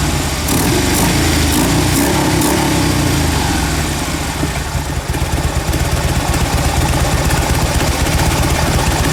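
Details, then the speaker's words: Fuel-injected Harley-Davidson V-twin after the intake was cleaned to fix stalling at idle and an over-rich rear-cylinder P0152 code; a steady, loping idle with a lumpy beat, no stumbling or dying. "It solved my stalling problem. It would not idle like this. It would stop completely. Now it's idling like it's supposed to."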